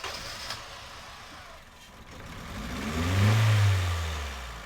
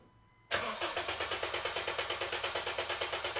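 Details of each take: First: 2010 Honda Civic 1.4 i-VTEC with flashing check engine light, cylinders 3 and 4 misfiring: two slow revs with an uneven, lumpy low note underneath; ignition tested fine. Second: 2010 Honda Civic 1.4 i-VTEC with misfire on cylinders 3 and 4, relative compression test with all spark plugs out: starter cranks evenly about three beats a second, no hesitation or skipped beat; compression judged perfect.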